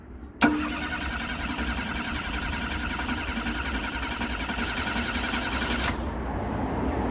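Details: Ford Fiesta Mk3 after coil pack, crank sensor and ESC replacement: a click, then about five seconds of steady even cranking that never fires; engine cranks but won't start.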